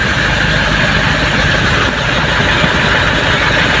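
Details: Ford Everest diesel that had a no-crank fault, now started: steady, even rumble with no misses or knocks, idling smoothly; fault was the park sensor, so it only starts in neutral, not in park.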